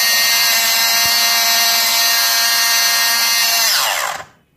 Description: Mini sewing machine sound problem